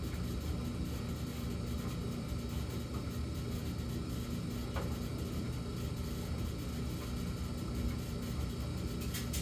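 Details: Samsung gas dryer running: steady deep low drone with no knocks or scraping; the low-hum phase of a fixed cycle (14 s high hum, 38 s low hum, then minutes of silence); intermittent humming, cause unknown.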